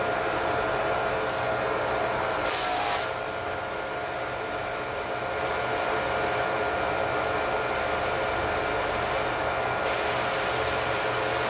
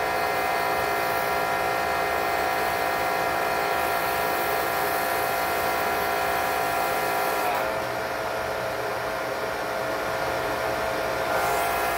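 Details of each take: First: Electric Karcher pressure washer with a new foam cannon: uneven, surging, pulsing hiss instead of constant pressure; the cannon's too-small orifice didn't suit the washer's flow, fixed by drilling the nozzle hole larger. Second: Electric Kärcher pressure washer with foam cannon humming and spraying evenly, no pulsing or surging, after drilling the foam cannon nozzle orifice out to 1.5 mm to raise flow.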